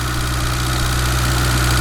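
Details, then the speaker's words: 1991 Honda CRX Si barn find after 10+ years sitting, after tapping two stuck fuel injectors with a small hammer to free them: steady, even idle with firm low hum, no misfire stumble; revs cleaner but still slightly rough burning old fuel out. "We had two stuck injectors. You can always take a little hammer and check the body of it and it idles fine."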